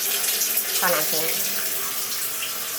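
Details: Panasonic AF90B2 washing machine during fill: steady splashing rush of water running straight out because the drain valve is stuck open, so the tub cannot hold water.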